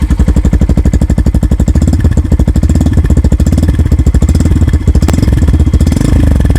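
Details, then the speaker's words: Yamaha FZ-X single-cylinder revved gradually and very gently: even pulses swelling as throttle is blipped and eased, steady firing with no knocks or rattles; normal revving. "நான் கொஞ்சம் rev பண்ணி காட்டுறேன். ஐ மீன் கிராஜுவலாக ரொம்ப ஜென்டலாக பண்ணுறேன்."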